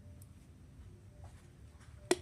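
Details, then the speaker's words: Paloma LPG gas water heater, flame not lighting: in a quiet room one sharp snap as the gas valve solenoid releases before the lower microswitch lifts and gets current, so gas never reaches the burner. "Nah, ini sudah terlambat artinya ini sudah jepret dahulu baru di sini ada arus."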